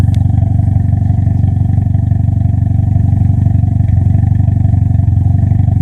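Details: Toyota ST205 engine: loud low drone with an uneven, stumbling beat and occasional dips in the pulse; the engine is misfiring.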